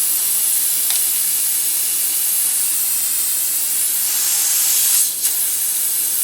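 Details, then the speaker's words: Tire puncture air leak as a screw is unscrewed from the tread before plugging: steady sharp hiss of escaping air, bigger leak than expected. "It's definitely an issue. Yeah, now you can see it popping. It's definitely leaking."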